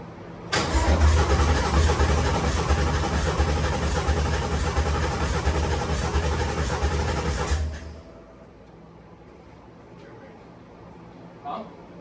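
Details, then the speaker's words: Coyote V8 swapped Foxbody Mustang, first start attempt; starter churns steadily about three beats a second for seven seconds but never fires; crank no start, owner suspects a fuel line left disconnected, with return and feed fittings at the tank later found loose. "so I may have left one of the fuel lines the fact that the motor's turning over that I'm happy about"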